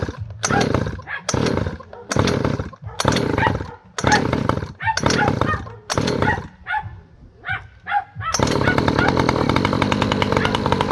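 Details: Newly installed 49cc two-stroke ATV engine test run: sharp, buzzy revs in short bursts about once a second, then a steady high-pitched run; pulls cleanly and runs healthy.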